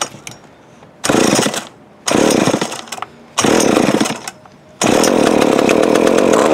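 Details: Old Remington Mighty Mite Deluxe MMD3 chainsaw, long stored in a shed, on fresh fuel: several short raspy firing bursts, then it catches and holds a steady buzzing run after earlier failed attempts.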